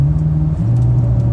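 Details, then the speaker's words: Chevrolet Silverado driving, heard in cab at full throttle: engine note sags and drops in pitch instead of pulling, bogging badly; owner plans to replace the throttle position sensor, cause unconfirmed. "It's wanting to really bog. See, right here, boom, bogging down, bogging down."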